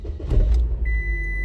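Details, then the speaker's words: 2005 Scion xB with 230-something miles, first start in 2–3 weeks after single-digit freezing weather, battery kept on a tender: short crank catches within a second and settles to a steady idle under a warning chime; normal cold start. "If it'll start, I pray it will. Here we go. First start in probably 2, maybe 3 weeks."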